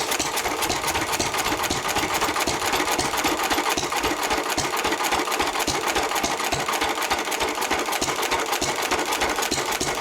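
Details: 1923 3.5 hp Emu (rebadged Hercules) stationary engine, restored early 1980s, first start in 20+ years, after oiling a sticking magneto/exhaust valve linkage: crisp even firing ticks three or four a second with steady coasting beats between; normal hit-and-miss running.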